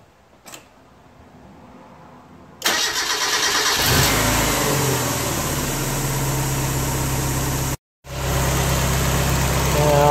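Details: Car after a fuel injector leak repair, with fuel lines and fuel pump relay reconnected: brief crank, catches within a second and settles into a steady, even idle, no leaks seen. Normal start and idle.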